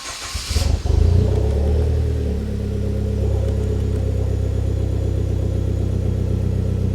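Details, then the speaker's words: Hyundai Genesis Coupe, automatic, first start after fuel pump replacement: a quick crank, a clean catch and a brief rev, then a steady, even idle with no squeal or stumble; fuel gauge reads correctly and there are no leaks; a normal start and idle. "Sounds like it's working. Give it a rev."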